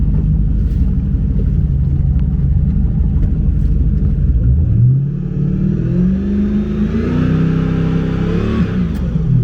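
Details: Boat engine, GT40 Nautique, revved from idle to about 4,000 RPM: steady low rumble rising smoothly with no stumble; low-pressure fuel reads 38 PSI, dips when revved and recovers. Intermittent heat-soak stalling traced to failed low-pressure fuel pump.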